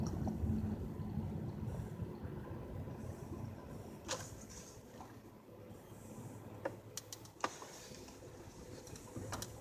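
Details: 2007 Pontiac Grand Prix GT: irregular sharp creaks and clicks over low rumble, likely suspension; persists despite new struts, lower control arms, hubs, engine and transmission mounts and CV axles; cause unknown.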